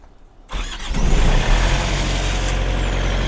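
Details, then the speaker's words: Truck reefer unit diesel after owner replaced its failed starter (alarm had read engine failed to crank): quiet, then cranks and catches within a second, settling into a steady even run with no misses; normal start. "There it is, y'all. That was the culprit right there. So, the starter on my reefer went out a couple days ago."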